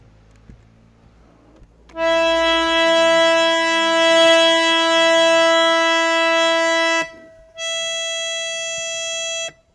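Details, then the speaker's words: Harmonium reed just tuned by scraping, played coupled with its octave: two held notes ring clean and steady without wobble or beating; in tune. "so when we play the two notes together they should sound not wobbly inshallah or unmute the first one we tuned listen to them coupled sounds good"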